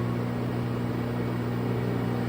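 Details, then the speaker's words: LG front-load washer in diagnostic mode after hot and cold water valve replacement, on the fast spin cycle. An even, smooth hum with no freight-train or jetliner roar, so the drum bearings sound healthy. "you could also do this just to put in a spin cycle to see if it's making noise on spin"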